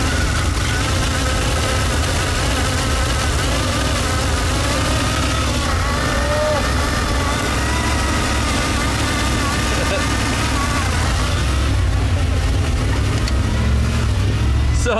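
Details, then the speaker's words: Ford EEC-IV truck with faulty Hall-effect distributor, run with a spark tester in line: uneven, stumbling ragged running; spark arcing heavily through the tester causes misfire and poor running. "i realized oh wait that's arcing like crazy that's why it's running so poorly"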